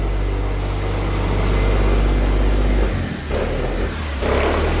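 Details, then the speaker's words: Triumph 2000, runs fine on choke but when throttle is blipped the steady drone dips and stumbles instead of revving, worse than before; mixture setting off and owner suspects running out of fuel. "I give it a bit of a throttle. So it's only running on it's not reacting to anything. So it's actually worse than what it was."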